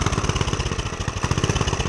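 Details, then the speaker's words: Homemade pit bike with DIY turbo, muffler and airbox removed, cold start: fast, uneven single-cylinder putter with a rough hunting beat; needs a little throttle until warm. "and it literally runs. You got to give it a little bit of throttle for now, but once it warms up, like right now, there's no throttle at all."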